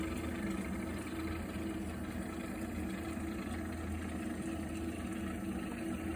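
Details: Viessmann Vitodens 100-W B1KF-19 boiler heating water: a steady low rumbling drone with a faint hum runs continuously, unlike the usual quiet burner roar; cause unknown.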